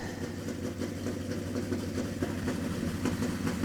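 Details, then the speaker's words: Flooded 1985 Monte Carlo SS 350 Chevy just started on choke, air cleaner cap off, water blowing from the exhaust stack: steady low V8 idle, even rumble, no knocks or misses; normal idle. "everything sounds good now I'm going to walk back out here and give you all uh little dose of that money"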